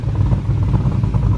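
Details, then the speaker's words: Car called Onyx, back running after a repair with its tune checked, coolant at 121 degrees so not fully cold. A few cold revs: a deep, lumpy V8 rumble with quick, crisp revs that rise cleanly and drop back. Healthy and snappy. "got to give it a few cold revs 121 degree cooling temp so it's really it's not that cold i think snappy pretty snappy"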